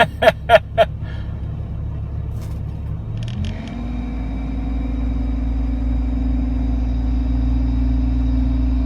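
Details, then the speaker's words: Dodge Ram V10, 313,000 km, cold start at -37 after Sea Foam and warmed synthetic oil, fuel pump leaking back: cranking clicks then steady smooth idle with no top-end tick, oil pressure now reaching. "if you notice this time when i fired it up you didn't hear the tick right so i think what happened was it actually was getting oil pressure to the engine and the top end"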